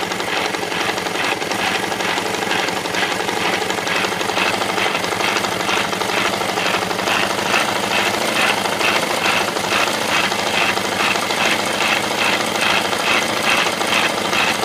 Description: Bad engine noise in my KTM 690 SM. Likely a bearing in the bottom end.